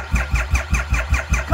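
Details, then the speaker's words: 2,500 cc three-cylinder motorcycle on an old jump box reading 11.8 volts: slow, laboring crank at about five compression pulses a second with no firing; weak cranking from low battery, later starts. "11.8 volts. Come on. Come on. Go a little higher."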